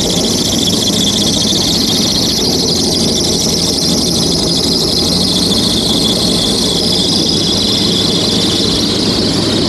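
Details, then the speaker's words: Diamondback airboat engine idling after an electric fuel pump repair, 55 psi oil pressure, 9 psi fuel pressure, battery charging: a loud, steady high squeal without letup, from the serpentine belt misaligned by a crooked alternator. "55 pounds oil pressure the battery is charging but gosh dang that belt squeak is brutal"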